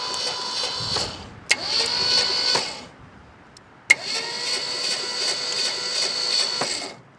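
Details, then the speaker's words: 1967 Ford F250 Camper Special big-block FE truck, sitting about 39 years, cranked via solenoid trigger after tightening loose battery ground: high whirring starter cranking with light ticking, spark present but engine turns over without catching. "And I'm hearing a clicking noise that sounds a lot like spark. Yeah, that side's getting blown out. Good. All right. Well, turns over."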